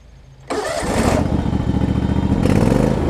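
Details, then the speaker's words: John Deere LX277 riding mower with broken primary deck belt, low hours: brief crank, catches right away and settles into steady even beat, no misses or knocks; starts, runs, drives great. Healthy engine start. "let me start it up for y'all because it does run it runs great actually"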